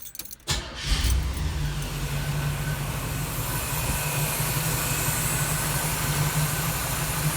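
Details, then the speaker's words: 1979 Camaro with single (mono) muffler, after sitting dormant and getting new brakes and tyres: brief crank, quick catch, then smooth steady low idle without misses or knocks; normal idle. "it's running good not bad for a mono Muffler"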